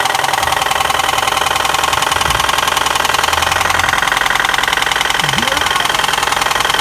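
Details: Nissan KA24DE four-cylinder running with a steady, sharp knock at roughly three to four beats a second; owner jokingly blames flooring it every day. Cause not confirmed.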